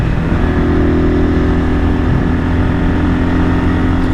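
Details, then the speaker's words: 1978 Kawasaki KL250 single-cylinder on a break-in ride right after a top-end rebuild with new rings; timing, points and valves left unadjusted; firm, steady exhaust note under held throttle, no misses, rattles or knocks. Strong. "Seems like it's running top notch. I didn't even adjust the timing or check the points or even check the valve adjustment."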